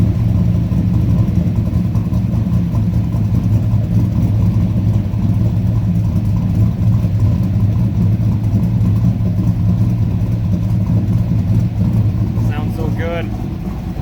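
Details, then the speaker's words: Chevy/Dodge hybrid half-ton truck with LS-swapped 6.0 V8 and NV3500 transmission, new exhaust just fitted, garage door shut: deep steady throaty idle at about 850 rpm, good oil pressure, no exhaust tick or manifold puffing; exhaust sealed, normal idle. "You guys can hear the new exhaust. No exhaust tick, nothing. It's fucking sealed. Sounds good."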